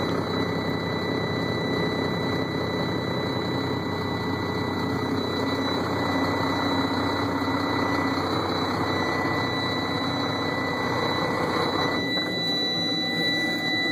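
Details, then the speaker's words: Sterling roll-off semi diesel just after a cold start in freezing weather, frozen up and hard to start: heavy uneven, lumpy idle with droning hum, running rough and unsettled; override button needed to stop automatic shutdown. "It's all frozen up. This thing does not like to start. When it does start, you gotta hit an override button. She's cranky."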